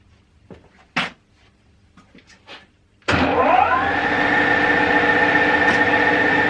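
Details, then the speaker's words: 1977 Schaublin 13 milling machine spindle, starting at the top of the low range (58–375 RPM): a few control clicks, then the motor spins up to a steady, even hum with a smooth whine; quiet, healthy running. "I'll run it down to the bottom, then I'll switch over to the high range and run it right the way up through, so you can hear it all running."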